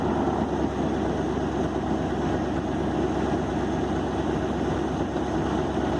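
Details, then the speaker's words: 1964 Ford F350 V8 truck with 60,000 original miles, first run after years parked, following replacement of the fuel system, ignition parts, points and carburetor (aftermarket carb fitted). Steady, even low rumble with no knocks, misses or surging; normal healthy idle. "So as you can hear, the thing runs, and it runs really, really well."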